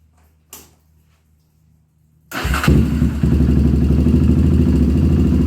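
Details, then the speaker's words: 1997 Honda TRX300EX single-cylinder, cold start after cam chain replacement, not run in a while: quiet, then fires and settles into a steady, even thump around four beats a second; a little grumpy but running really good. "okay guys hey it's actually running really good um it hasn't ran in a while so it's a little grumpy and it's also still cold"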